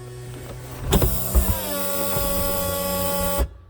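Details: 2004 BMW Z4 convertible top hydraulic pump and motor after replacement (a stuck-open emergency release had been dumping pressure; the new pump's wires were reversed): steady electric whine starts with a thump, holds even pitch about 2.5 seconds, stops cleanly; pump working normally.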